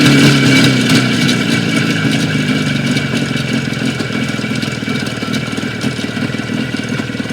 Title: Стук двигателя Юпитер 5 спустя две недели